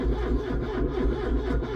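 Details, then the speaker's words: Ford Cortina P100, not run for about five months (October to March), battery measured 7 V then charged four days on a 1 A charger; full choke, neutral. Sluggish laboured cranking about four turns a second, no firing; battery too weak to spin it. "oh it's not very good battery is it"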